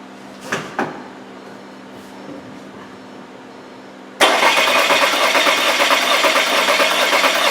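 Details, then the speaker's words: 2015 VW Tiguan 2.0T GDI, P0304 cylinder 4 misfire, flashing check engine light: quiet then uneven lumpy cranking about three beats a second; cylinder 4 has lost compression. "obably heard it on camera it sounded like it had compression at first and then you could hear it drop out so that says that we do have compression right now"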